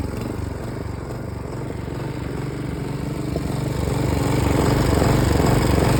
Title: Hyft60sp Mower misfiring